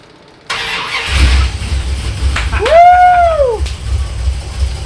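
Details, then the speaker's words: 1964 Dodge Polara with 440 V8, sat for years, hotwired with a button on the main post: starter engages and engine catches instantly, settling into a deep, even rumble with no knocks; clean, healthy start. "that's right she sounds good oh God okay so we forgot that part"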